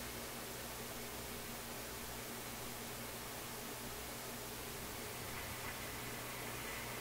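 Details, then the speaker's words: Nordmende console tube radio after reseating tubes: only a steady even hiss, no program sound; FM band pulls in no stations, cause unconfirmed. "Sounds like that made a big difference. Doesn't seem to want to pick up any stations."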